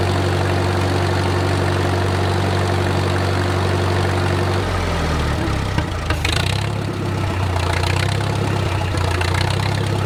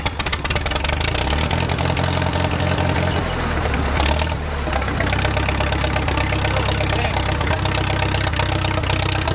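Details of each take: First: Wartime H tractor four-cylinder, first run after 20+ years sitting, at full operating temperature with idle slowed: slow, steady low thump, no knocking or misses, great oil pressure; normal idle, engine judged good. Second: Wartime H tractor, first start after sitting 20+ years, carburetor just installed, cold: low, slightly uneven thump, firing steadily but rough while puking junk out; rough idle on first start after long storage.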